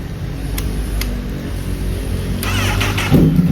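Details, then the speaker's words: 2011 Honda CBR1000RR Fireblade 999cc inline-four, previously sluggish and misfiring with mud-like contamination, first start after repair with tank just refitted, coolant not yet filled: catches, steady idle, smooth small blip; far better than before, normal. "Jauh banget ya sama kemarin pertama kali kita tes suaranya ya. Ini langsamnya juga stabil nih. Terus timingnya mantap."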